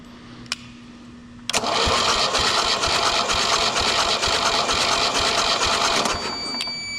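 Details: Mercruiser 3.0 boat engine cranking during a compression test on cylinder 4 (120 psi; others 120–130): a click, then even starter pulsing about three beats a second with no grinding or catching. Healthy cranking.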